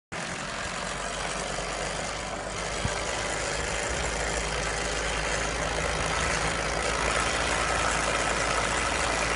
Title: K11 micra rattling noise!